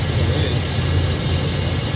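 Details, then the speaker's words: 2002 Chevrolet Silverado V8, after a cleaning aimed at misfires possibly from dirty injectors: deep steady V8 rumble, even beat, no skips or stumbles; normal smooth idle. "It definitely sounds better. No, I ain't going to lie, bro."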